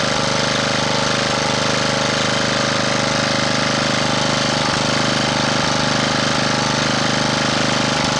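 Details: Honda GX240 small engine that was surging, after re-cleaning the carburetor's idle-circuit passages and jets. Steady, even engine drone at a constant tone with no hunting or misfire; it runs smoothly at a fixed speed, no surge.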